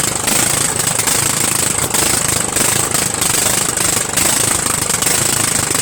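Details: Murray 14.5 42" Widebody LT lawn tractor engine running on gas, fuel solenoid working, muffler off: harsh rapid rattly barking at steady speed like an open pipe; loud exhaust from missing muffler.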